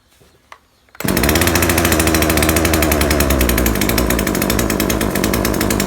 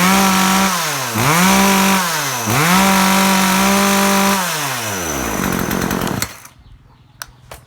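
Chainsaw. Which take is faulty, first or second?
first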